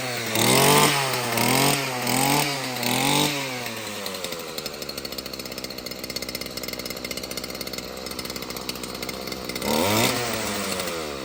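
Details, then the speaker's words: Stihl FS38 two-stroke string trimmer after a fix with the carbon cleaned from the spark arrester/muffler. It revs cleanly several times, drops to a steady, even idle and picks up crisply again, running healthy. "And guys, that sounds like a steal."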